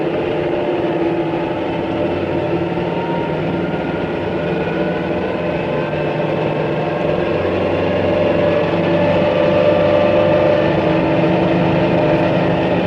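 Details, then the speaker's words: High-speed propeller model running fully supercavitating, with cavities springing from the leading edge and enveloping the entire blade. A steady rushing roar with a dense fizzing hiss and a faint hum. "under stroboscopic lighting we can see that the cavities spring from the Leading Edge and envelop the entire blade as in the case of our super cavitating hydrofoil"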